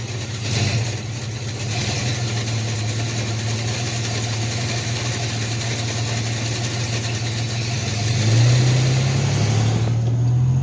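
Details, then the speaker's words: Chevy S10 with 2.8 engine swap, automatic, after drag strip passes: slips first to second, and in first a low hum climbs with revs; shop later says likely planetary gear failure needing rebuild, fourth/converter lockup also suspect. "After the drag race, there's something wrong with first to second, or just first. It slips going into second. Something's not right. And if I bring it the shifter all the way to first, it makes this noise."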